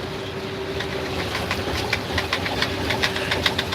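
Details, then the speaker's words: Semi truck with X15 Cummins cruising on the highway: light, quick ticking rattles, a couple per second, over steady road rumble from something loose bouncing in the overhead cab compartment. "y'all hang on i gotta shut that up whatever's making that noise up there"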